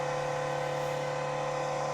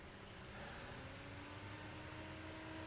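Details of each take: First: Carlsbro Powerline 300 pro audio amplifier before repair: loud steady whir with fixed high tone, roaring like a jet taking off; worn, noisy cooling fan due for replacement, amp otherwise works. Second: Replacement cooling fan for Carlsbro Powerline 300 amplifier bench-tested on power supply at 12 V before fitting: quiet even whoosh, steady hum; nice breeze, healthy quiet fan.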